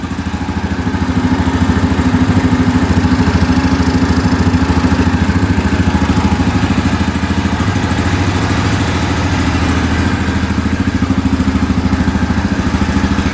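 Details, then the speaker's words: 2009 Yamaha Grizzly 550 EFI ATV after repair of no-start: strong even single-cylinder thumping about 200 beats a minute, no misfires, no smoke, engine light off; normal idle. "No smoke at all. That's a great sign. Yep, still no engine light. I think we're good."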